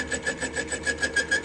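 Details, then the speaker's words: Chinese lathe, boring bar sticking out far, slowly cutting threads off a bore at about 2/1000 depth: rasping, pulsing scrape about six times a second with a ringing high tone; long overhang causing chatter, vibration and intermittent cutting. "You can hear the intermittent cutting, there's a lot of vibration. We're just cutting threads off."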